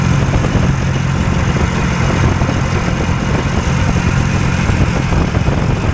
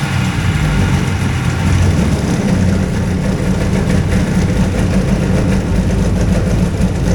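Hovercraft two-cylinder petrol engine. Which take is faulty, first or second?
first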